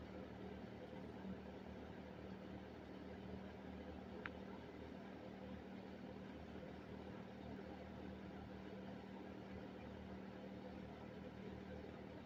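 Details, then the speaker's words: 1974 Kmart K-223 20-inch box fan, McMillan motor, unrestored, apparently well oiled, fitted with a four-wing Lasko blade, on low speed: low even hum, steady drone and soft air rush, no knocks or scraping; normal running. "appears to have been kept very well oiled throughout its life because it runs about as perfect as it's ever going to"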